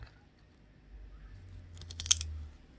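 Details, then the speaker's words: Seatpost, apparently the aluminium one tested after the carbon one, squeezed in a vise. It shows no visible deformation but gives a short dry crackling crunch, suggesting internal damage. Suspected, not confirmed. "얘도 변형은 없는데 일단 안쪽에서 데미지를 많이 먹은 것 같아요."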